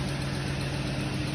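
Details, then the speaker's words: 2008 Chrysler Sebring 2.7 L, constant cylinder 1 misfire after owner installed new spark plugs, pressure transducer suggests cylinder 1 exhaust valve issue; uneven lumpy idle with faint periodic stumble, cylinder misfire. "Got a constant misfire. It was showing cylinder one, cylinder 112."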